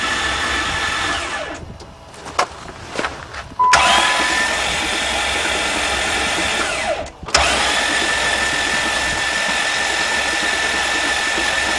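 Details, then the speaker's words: Van hydrolocked after being driven into a lake, spark plugs out and intake off, cranked to blast the water out; fast, even starter whirr with no compression pulses, spitting and hissing water; hydrolocked engine cranking with no compression. "well that's what the engine sounds like with no compression at least the starter motor is good"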